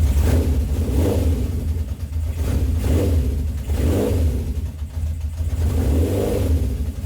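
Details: 1970 Honda CB750 K0 four-cylinder, slightly warmed up after first start in about 30 years, electric start: even, smooth note with clean throttle blips every second or so, settling back each time; sounds very healthy.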